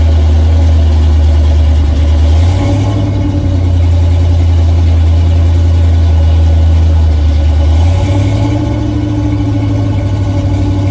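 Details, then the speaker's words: V8 in project truck "Frankenstein" just after carburetor install and first start, choke fully open, hot; lumpy uneven idle wandering and surging every few seconds, running rough and needing carb adjustment; automatic choke also needs work. "And, well, you hear it's starting. But it looks like we need a little bit of adjustment."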